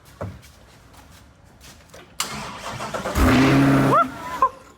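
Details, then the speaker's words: Rebuilt wrecked 2023 Corvette C8, engine just reinstalled, no fluids or coolant; cranks, catches and revs about a second, then dies abruptly, warning lights on. Starts then stalls: no fuel whatsoever in tank. "what happened guess it just cut right off is the battery that low or what no I don't know I guess it's just a bunch of warning lights but let's see try it again dude no fuel no fuel right yeah there's no fuel whatsoever"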